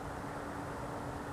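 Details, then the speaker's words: At 1 a.m. on a cold night, heard through an open window: a steady, low droning hum at one pitch with faint hiss, like an idling machine nearby. The owner says it is not a generator. Source unknown. "strangest thing. It's like a hum."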